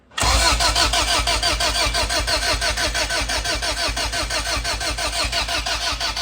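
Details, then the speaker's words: Honda Civic with glued head gasket, GSR swap with distributor, starter relay jumped for automatic; steady starter churn about three compression beats a second, never fires; cranks with no spark at plug. "nothing nothing nothing no spark"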